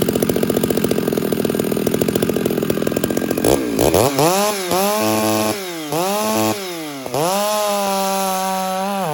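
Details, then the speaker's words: Chainsaw at wide open throttle in cut, mixture richened: screams, then revs dip and recover with soft four-stroking gurgle; rich carburetor burble, now cutting better. "now I just basically fattened it up a little bit and you hear that little girdle I'll show it to you again I'll show you the sound it's cutting better now it is"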